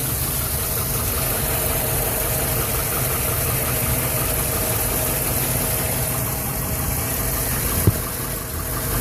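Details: 2011 Silverado 5.3L V8, 126,000 km, after sitting 8 hours: struggled to start, then idles unevenly with a shaky, lumpy beat and light ticking, nearly dying; valve cover with built-in PCV recently replaced; cause unknown.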